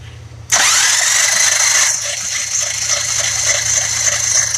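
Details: 1966 Buick Riviera GS 425 Nailhead engine cranking after oil pump confirmed working by priming: steady starter whir with slow compression pulses about four a second, never fires; slow crank, no start.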